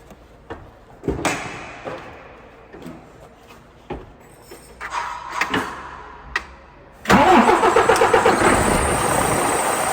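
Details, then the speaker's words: DAF CF85 diesel after fixing a compressor-like noise: it cranks, catches and settles into a steady idle with the noise gone and no knock; a slight exhaust blow remains. "well we ain't got that noise anymore got bit of an exhaust BL"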